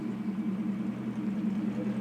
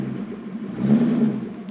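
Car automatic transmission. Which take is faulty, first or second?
second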